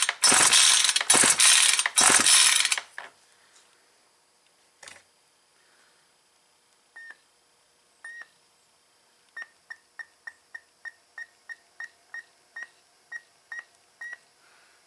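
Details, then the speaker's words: Yard-sale Ryobi S430 four-cycle weed eater, old gas drained, fresh gas added and carb primed: three rough rope pulls whirr the engine over without a firing stroke, not drawing fuel; no start, a piece of the carburetor body found broken off and bent. "got this cover removed and this little piece of the carburetor body is broke off if you look real close right there that's bent"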